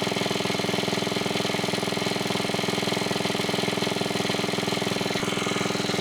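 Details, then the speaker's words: 1980s Onan 1.7 kW generator running again after a clogged carburetor was cleaned, air filter back on: a small single-cylinder engine holds a steady, even putter with no misses or surging. Normal running. "We have the Onan 1.7 kilowatt generator. It's running. I don't know why it died there for a second, but overall I think it's working."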